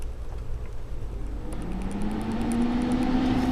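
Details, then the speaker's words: LG 65-pint dehumidifier, about two years old, set to 45% humidity in a one-bedroom apartment, switching on; low compressor hum rises and settles into a steady drone over fan noise, not that loud — normal compressor running. "And it's actually not that loud. I mean, you can hear the compressor, but you get used to it."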